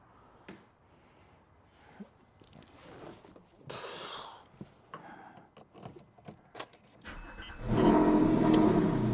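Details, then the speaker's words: Porsche 997 S after serpentine belt, tensioner and lever replacement and stripped threads repaired; cranks, catches quickly and settles into a smooth, even idle with no squeal or ticking. Belt tensioner works automatically. Normal cold start and idle. "It sounds very healthy. Sounds good. I don't hear any abnormal noises."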